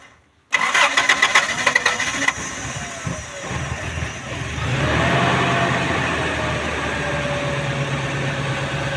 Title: faulty thermo sensor on a 3RZ Toyota engine. hard start in the morning and rough idle.